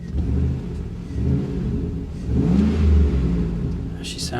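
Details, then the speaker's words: Chevy SSR at a salvage auction, cold with coolant temp still very low, throttle blips; deep, smooth rumble swelling evenly with each blip and settling back, no knocks or rattles; engine sounds healthy. "good she does she sounds good guys i really really really really really really really like this one i really do"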